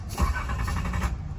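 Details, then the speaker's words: 1986 Nissan 300ZX 3.0 in a shop, no-start with power jumped to a sensor wire: brief starter cranking with even compression pulses, no firing. Mechanic suspects fuel starvation though the pump was reportedly replaced; spark not yet checked. "pero se me hace que esto es como si fuera gasolina como si le faltara gasolina en realidad Aunque ellos dicen que ya le cambiaron la bomba"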